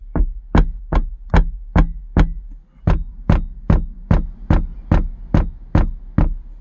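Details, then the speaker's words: BMW E65 driving with the sunroof tilted open: sharp metallic knocks, about two to three a second, like steel on glass or steel on steel, over low road rumble. A metal sunroof bracket is tapping in its track. "it's almost like steel on glass or steel on steel"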